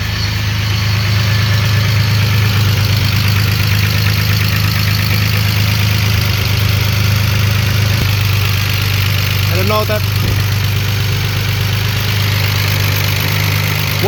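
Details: BMW X5 bought with blown engine, first run after fresh plugs, coils refitted and fresh fuel, some parts missing, heavy smoke: steady idle with light fast ticking about three per second, no deeper bottom-end knock; valvetrain/lifter tick suspected rather than rod knock.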